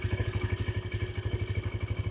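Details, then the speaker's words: TVS Raider 125 motorcycle at 15,600 km, after 4th paid service with tappets set; steady single-cylinder idle with quick even tick on each firing beat; owner still hears similar tick noise, service centre says it is common. "So ఆ tick tick noise అయితే వస్తుంది వాళ్ళని అడిగితే అది common అని చెప్పారు but topped అయితే set చేశారు."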